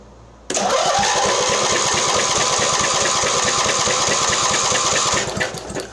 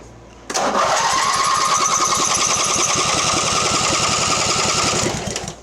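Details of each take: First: Mastercraft (MTD) 46" riding mower, Briggs twin, cranked on booster pack with compression gauge and spark tester: brisk even compression beats about three per second; healthy cranking, 120 psi, spark jumps 1/4 inch gap. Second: Mastercraft (MTD) riding mower, premix in carburetor, no exhaust fitted: starter spins steadily three to four turns a second for five seconds without catching; no start, weak intermittent spark; flywheel magnet later sanded, coil gap set.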